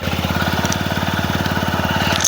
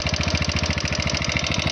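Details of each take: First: TVS Apache RTR 160 4V, 41,000 km, just repaired after head noise, started and idling cold at about 1700–1800 rpm, expected to drop as it heats; BS6 idle runs slightly high. Even, quick single-cylinder beat, smooth and healthy; normal idle. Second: TVS Apache RTR 160 4V at 41,000 km, bad noise from the head: at idle a hard, even tapping about thirteen times a second with metallic clatter on top; tappet first suspected, found to be piston slap plus worn rocker arm.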